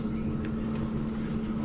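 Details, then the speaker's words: Waste oil water heater burner started with top lid off at about -10° outside: steady, even roar with low hum and no pops, thuds or bangs; lit cleanly and burning smoothly. "as you can see no thud no pop no bang"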